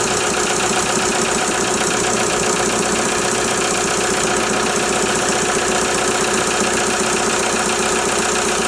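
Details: VW Jetta A3 TDI diesel after glow plug harness replacement, started following some cranking once fuel reached the injectors: steady diesel clatter at idle, even and unbroken with no stumbles or misses; engine sounds healthy.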